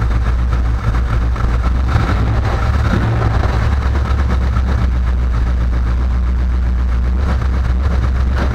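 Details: Chevelle after a no-start, spark plugs cleaned and a loose ignition module connector replaced with an original GM one: deep even rumble at steady idle with no misses or stumbles; engine runs clean.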